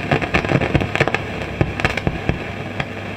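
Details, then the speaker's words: Hartke HA3500 350-watt bass amplifier into a Marshall cab at switch-on; loud irregular pops and crackles over steady hum and large fan noise, suspected noisy resistor or transistor; crackling and popping from amplifier. "okay well that's very obvious right not immediately sure at the moment what that is i'll just turn just turn it off so um from experience this is either going to be a noisy resistor or a noisy transistor of some sort"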